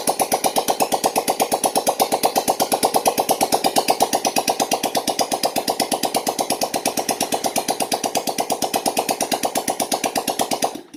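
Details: Yamaha Jupiter Z1 / Vega ZR after repair of scored bore, piston and worn valve stems, idling with exhaust removed: loud, crisp popping about three pulses a second, even and regular until shutdown; running cleanly.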